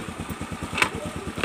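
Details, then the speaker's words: Carbureted Honda Beat scooter after repair for seizure and white exhaust smoke from late oil changes, started with a single kick: even, steady putter at about ten beats a second with no misses or knocks; idles cleanly. "Nah, ini cukup satu kali engkol aja langsung hidup, Guys ya."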